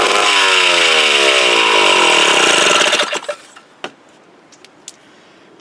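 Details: Mid-1950s Strunk Speed Demon chainsaw (likely the Pro, 24" bar), bar and chain off, unused since the early 70s. Loud raspy two-stroke pitch wanders up and down, then cuts out. Uneven running, carb needs a rebuild kit, dirty tank, ignition good.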